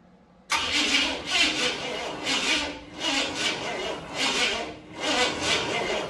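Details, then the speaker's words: 1965 Cadillac Coupe DeVille sitting 15 years, first start attempt with spark tester on: sluggish labored cranking, about one heavy turnover per second, no catch; slow cranking. "up still seems to be turning over pretty slow"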